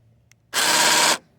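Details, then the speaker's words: 2018 Honda Civic Si Coupe electronic fuel door lock engaging when the car locks: a harsh half-second buzzing grind, then it cuts off. Owner suspects a damaged small part at the back of the fuel door actuator. "So it looks like the actuator. I said actuator, but there's a little part back here. That's probably the one that is damaged."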